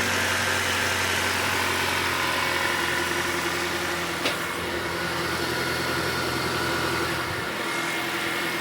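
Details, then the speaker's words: 2012 Acura TSX with replacement marketplace engine just installed, first start, in park, around 1,500 rpm, some exhaust smoke: smooth even four-cylinder idle, steady low hum, no knocking or misfire; sounds healthy. "You just take something out and then you put it all back and somehow it just starts up on the first try with nothing going wrong."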